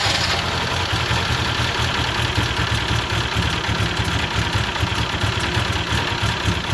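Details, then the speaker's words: BMW E12 520 barn find, first start after bleeding air from the fuel system (spark confirmed): low idle stumbling and pulsing unevenly instead of a clean steady beat; runs rough, cause not yet known. "It runs. Not very well, but it runs."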